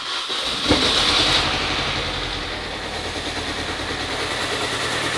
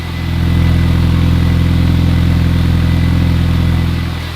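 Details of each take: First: Supercharged Mini Cooper S started for the first time after coolant fill: engine catches, then settles into a lumpy, uneven idle of about three pulses a second with engine light on; owner suspects something left unplugged. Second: Supercharged Mini Cooper S, off the road over 3 years, started after correcting coil packs fitted to the wrong cylinders, with the exhaust blow welded up: a smooth, even idle with no exhaust chuffing; it sounds healthy.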